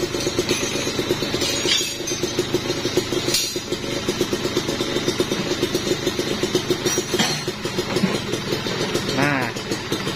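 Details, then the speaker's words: Kawasaki Ninja 2-stroke with freshly fitted overbored (OB) cylinder block, idling: even, steady, dense-sounding beat with no rattle or knock, smoother than the stock block. The lower end is said to be due for replacement. "nah ini yang suara yang di OB padet banget soalnya tuh halus jos"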